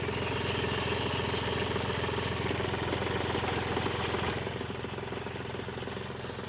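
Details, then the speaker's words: Hyundai Xcent 1.1/1.2 diesel, 188,657 km, fully cold start, engine previously replaced; steady sharp tapping about 3.5 per second over diesel clatter at cold idle; mechanic suspects injector problem, coding and injector checks pending. "अब ये problem के लिए ना हमारे को सबसे पहले तो देखो ये जो तड़-तर कर रही है इंजेक्टर की प्रॉब्लम है।"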